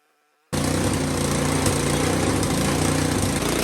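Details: Powersmart snow blower that wouldn't start, after ultrasonic carburetor cleaning: engine catches instantly and settles into a steady, even buzz with no misses or hunting; running smoothly.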